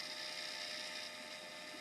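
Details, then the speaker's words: Dell Dimension 2100 desktop from recycling, power supply pulled out and running; thin steady high whine with rough drill-like edge from the PSU fan, unit smells like burning, orange motherboard light, no video; PSU to be swapped. "all right so let's just this thing that's making a bad noise oh that smells awful"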